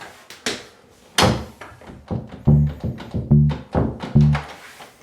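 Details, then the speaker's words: House door shaken after bending the strike plate tab with a flathead screwdriver: loose hollow knocks, the latch still rattling from too much play. "So we still got a little bit of a rattle. We'll come a bit more."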